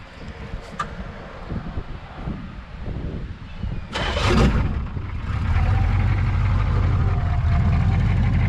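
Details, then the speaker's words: HMMWV (Humvee) diesel after flex plate replacement, with the Y-pipe joining left and right bank exhausts removed: catches and settles into a loud, deep, boat-like drone like open headers. "Kind of sounds like a boat. But I thought that was pretty funny. Actually, it doesn't sound too bad, but I don't think I would ever run it like this."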